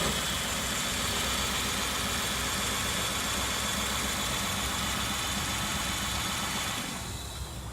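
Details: 2003 Kia Sorento idling, codes show cylinder 1 misfire: uneven, slightly lumpy idle with occasional stumble under steady hiss; misfire caused by a leaky spark plug boot letting spark escape to ground.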